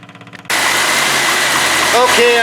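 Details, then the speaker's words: Triumph TR7 after converting from mechanical to electric fuel pump with new relay wiring and cleaned battery cable ends: quick catch after short crank, then steady even idle with no misses or knocks; starts cleanly. "i hit the key and she barked straight to life so there's the effects of our work today"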